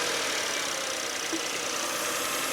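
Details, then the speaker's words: First-generation Honda Insight hybrid idling a little high and fast with a steady airy hiss from a vacuum leak. "It is idling a little high. Let's see if we can't figure that out. What in the vacuum leak? I can hear it. Oh."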